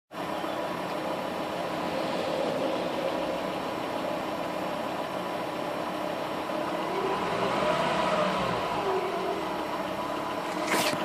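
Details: Ford Focus ST 2.5 five-cylinder petrol idling with a steady high whine over the running note; the whine persists after a cambelt replacement and service.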